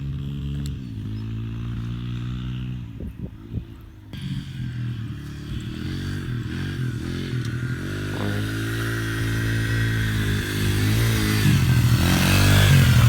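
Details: Yamaha TTR 125 single-cylinder, a flooded and seized bike freed up and revived: runs steady and even at a fast idle with regular firing, picking up smoothly toward the end. Engine sounds healthy.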